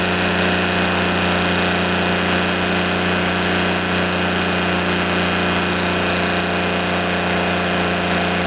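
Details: Echo PB500H blower with a replacement carburetor: steady, rough burbling drone that never clears, smoking heavily; running rich as the carburetor dumps fuel, likely a bad carb; a carb swap is planned.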